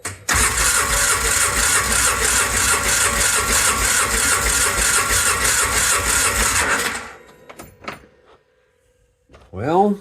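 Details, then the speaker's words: Ford Ranger engine being cranked during compression testing (120 on both sides): steady starter whir with slow, heavy compression beats about three a second for seven seconds, never fires; owner says it turns over very hard; cause unknown. "Actually, I think I'll do is take the other plug out and see if this thing turns over easier cuz it's really turning over very difficult."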